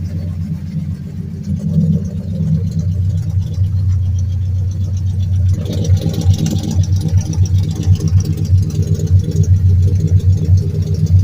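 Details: 2003 Mercury Grand Marquis LSE swapped with a 5.4 3V short block (11.7:1 compression), Trickflow heads and Stage 3 cams, Melling high-volume oil pump and Cobra pickup: deep V8 idle with steady low knock about twice a second, sharper near the end, rod knock.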